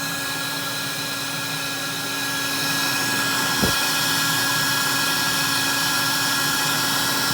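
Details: 1964 Electrolux Model 89 Elux-O-Matic vacuum cleaner after rebuild and servicing: steady, even motor whir with a constant high pitch, no rattles or scraping; a healthy running vacuum motor.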